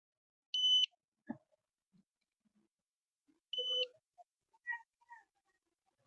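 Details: Satellite finder gives two short high-pitched beeps about three seconds apart in a quiet room, signalling lock on the 16-degree satellite while a dish is aligned for three LNBs (16, 28, 36 degrees).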